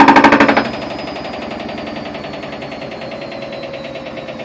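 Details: Whirlpool Duet washer during the spin cycle, noise started recently: loud rapid banging about three per second for half a second, then a fading rattle as the drum spins; source not yet found.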